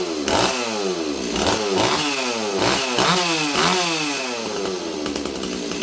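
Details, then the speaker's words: Stihl 026 chainsaw, cylinder hot, carburetor being tuned: revs up and sags repeatedly without clearing to a crisp top end; running too rich, wandering tune and fuel spitting from carb, carb suspected faulty. "okay just give me a second here friends sauce too rich right now friends"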